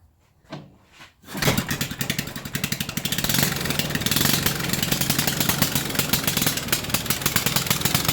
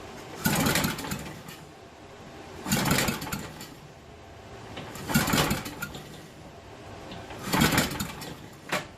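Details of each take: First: 1974 Briggs & Stratton 8 hp 190402 engine, revived after 10+ years in a yard, needs new carburetor: coughs then fast steady single-cylinder patter at high idle; carburetor hanging up, won't come down to low idle. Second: 1974 Briggs and Stratton 8hp 190402 engine, ether sprayed in after clutch rebuild: slow, uneven cranking bursts about every 2.5 seconds with no catch; turns over but never fires, cause unconfirmed.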